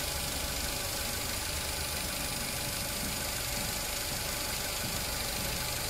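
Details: 2018 Mitsubishi Eclipse Cross, engine light, P0171 fuel trim too lean, slightly rough idle: constant airy hiss over uneven idle from split breather pipe between rocker cover and intake manifold leaking vacuum.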